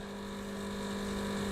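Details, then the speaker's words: Milesto Eliane espresso machine, vibratory pump deliberately run to overheat (repeated brews, e.g. over-fine/packed coffee): constant hard buzz swelling slightly louder over a few seconds as the pump labours toward its thermal cutout. "Hai sampai nanti kejadian nih overhead nya Hai jadi kita sengaja ini memang bikin dia ya over Heat"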